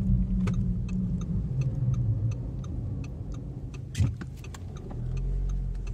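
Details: 2006 Audi A3 2.0T EA113 on the road after timing chain replacement, which addressed a tractor-like clatter at the chain/high-pressure fuel pump end: smooth, even engine hum under road rumble, no chain clatter or ticking; normal running.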